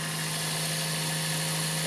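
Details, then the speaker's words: 2003 Toyota Corolla 1.6 VVT-i idling after an intake manifold fault was fixed by tightening a screw instead of replacing the manifold: steady even hum and airy hiss, no intake rattle. Engine light code cleared and not returned yet. "quite pleased i really didn't think that would work i thought i'd be spending quite a bit of money to try and get a new manifold for it that seems to have got it now"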